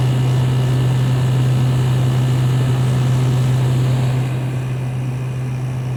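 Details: LG 6000 BTU window air conditioner running, recorded from outside facing the compressor: steady low hum with an even fan whoosh, no rattles or clicks, normal running.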